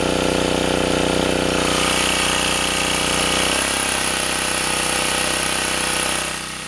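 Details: Sportsman 2000 W generator under 750–1500 W space heater load after adding a governor damping spring: even, steady engine note with one smooth settle in pitch, no repeated surging; holding speed well, cycling cured.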